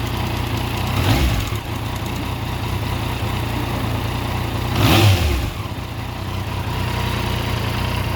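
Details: Yamaha MT-09, owner asks the cause of an abnormal sound: uneven idle with two rev blips and an odd irregular clatter under the exhaust note; abnormal engine noise, cause unclear.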